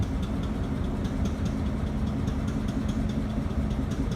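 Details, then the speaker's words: Delaware and Hudson diesel locomotive at idle with a deep, heavy, uneven stumbling beat about twice a second, sounding like a misfire. Faulty injectors are suspected but unconfirmed. "That's the sound of a misfiring engine. I know that because I've heard that sound of that similar."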